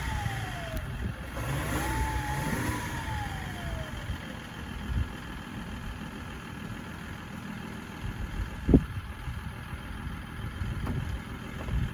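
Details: BMW X5 E53 3.0d M57N diesel at cold start, with smoke: rough, uneven idle with a rev blip, stumbling beat of a cold-start misfire, cause unclear.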